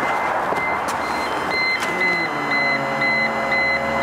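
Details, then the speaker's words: Rover 200 (R8) convertible with a stiff, rotten roof; the electric roof motor spins up with a rising whine and keeps humming steadily, yet the roof barely moves partway; motor runs but the roof does not move. "I can hear the motor going, but nothing's happening. Oh, so it nearly works. It goes that far."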